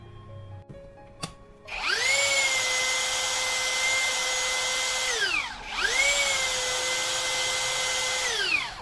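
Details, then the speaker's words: Low-budget brushless drill after shimming the stator's upper side with paper: two clean steady high-pitched spin-ups winding down smoothly, no rubbing or scraping, no burnt smell; rotor no longer rubs the stator, repaired. "Jadi udah pas ini kalau kita lihat putarannya Udah lancar tidak tidak bergesekan"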